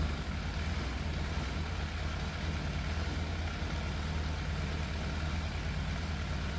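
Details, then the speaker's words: Fire-damaged Yamaha FZ750 four-cylinder, 41,000 miles, choke fully off: low rumbling idle with irregular beat and dropped pulses; slight misfire, middle two cylinders' exhausts cooler than outer two; cause unconfirmed. "The engine does sound like it's missing a little bit,"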